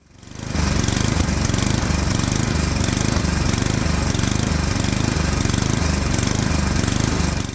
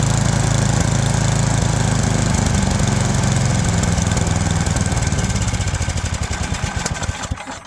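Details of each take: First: Toro Power Max 826 LE snow blower engine surging up and down at full throttle because it runs lean on a non-adjustable carburetor, fixed by fitting an adjustable replacement carburetor. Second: Toro Power Max 826 LE snowblower, warmed up, after replacing its full-throttle-surging carb with an adjustable carb and tuning it: a steady, even beat with no surging, then it winds down at shutoff; now running normally.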